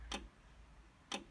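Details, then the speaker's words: AEG Lavatherm 56800 tumble dryer whose motor starts then stops, after about an hour: two solid clunks about a second apart inside the quiet dryer, then a 5-flash error on the end light; cause unknown. "doing clunk clunk inside then we're getting flashes so when they come on one two three four five five flashes of the end light that's what I've got a search for"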